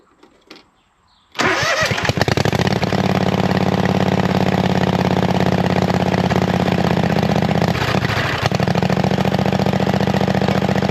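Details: Hustler zero-turn mower with swapped V-twin engine, new carburetor and fuel system, exhaust not yet built: loud loping V-twin beat with raw open-pipe bark, steady after start; normal running.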